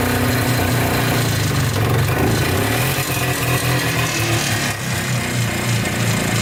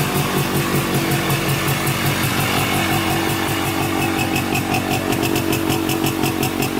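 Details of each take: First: Polaris Trailblazer 250 2x4 two-stroke quad before top-end rebuild: uneven, stumbling idle with irregular firing that won't stay running or restart; owner suspects low compression from burnt-out rings. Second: Polaris Trailblazer 250 2x4 two-stroke quad after top-end rebuild with cheapest eBay piston/cylinder kit, cold start on second break-in with throttle blips: crisp even buzz, steady, no misfires; now holds idle and sounds much better.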